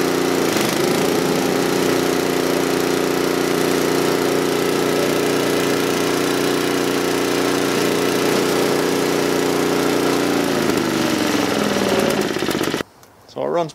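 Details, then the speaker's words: John Deere TRS24 snowblower after oil change and lubrication, carburetor previously clogged: small single-cylinder engine holds smooth, even speed with steady exhaust note, then shuts off; runs healthy. "once it's warmed up I think it'll run a little bit better when you turn it on the low speed but typically you run It Wide Open when you're plowing snow or snow blowing"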